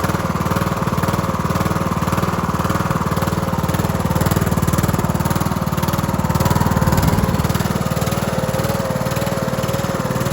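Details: Cub Cadet LT1045 mower with 276 hours, repowered with another engine after the old one cracked its case and seized, started on a jump pack with choke: steady single-cylinder thump, loud exhaust edge, no misses.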